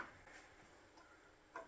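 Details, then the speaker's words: Powerhouse Lithium 3-bank charger, programmed out of the boat (12V lithium, 16V lithium, 36V lithium banks), then unplugged with fuses out. Quiet room, then one faint crisp relay click as the banks power down; normal shutdown. "You'll hear an audible click as all the banks start powering down. And then once everything's powered off like it just did, I'm going to go back and I'm going to reinsert my fuses."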